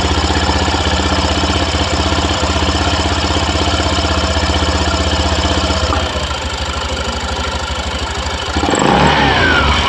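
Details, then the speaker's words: Honda Vario 110 eSP scooter after replacing worn-out clutch linings that caused CVT slip and juddering: even idle and clean rev-up with no judder; fixed. "Dan sudah sembuh ya teman-teman, pastinya ya, karena tadi tidak ada kampas ganyanya, makanya slip ya, gredek luar biasa."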